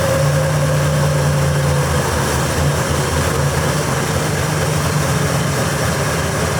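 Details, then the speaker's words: 1954 Corvette at first start after purchase, with some issues fixed but timing not yet dialed in: a low, uneven, lumpy, wandering idle with no steady rhythm; idle too low, to be turned up. "Idle's a little low. Let me turn that idle up."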